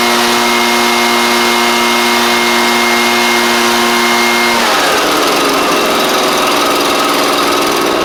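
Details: Echo PB755ST backpack blower that idled but bogged on throttle, after carburetor kit installed: small two-stroke holds a steady buzz, then revs out cleanly with no stumble or surging; healthy running, fixed.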